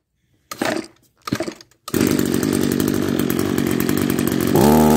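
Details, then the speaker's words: Old Echo SRM-210 two-stroke trimmer, first test after repairing spliced kill-switch wires, with gas, fuel lines replaced: choked, a few pull-start tugs, catches and holds a steady, even buzz without stumbling; runs fine. "thank you it works all right that just about leaves it for part one of this restoration video will it run and uh yeah it runs"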